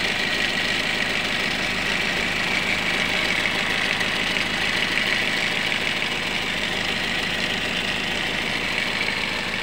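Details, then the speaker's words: Toyota Yaris with rough engine, loss of power, rising temperature and coolant loss: busy rough idle with sharp metallic clatter from the side; suspected loose timing chain or worn roller, VVT-i gear later found broken. "untuk analisanya sih Sepertinya di bagian e rantai timing atau rantai ktingnya ya mungkin mengalami longgar atau bahkan rolnya yang sudah e mengalami kausan"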